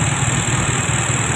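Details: Yamaha Xeon fuel-injected motorcycle (was hard to idle when cold, fine warm) after fixing a bent sensor-socket pin causing unresettable error code 22 and resetting ISC: steady, even low hum, idle holding level around 1,500 rpm, under 1,800 rpm; normal idle.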